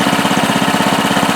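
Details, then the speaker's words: Baja Doodle Bug mini bike, 2.8 hp single-cylinder, idling; quick, even putter of about thirteen pulses a second, no misses or knocks: normal idle. "runs good yeah when i'm off of it lifting the rear tire thing screams"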